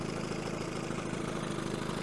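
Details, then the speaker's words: 1970 Evinrude 25HP outboard after condenser change, out of gear: low, even two-stroke burble with the throttle handle all the way down where it should be, no stumbling; may still be running a bit rich on the slow-speed needle. "now i can turn the handle all the way down and this is where it's supposed to be"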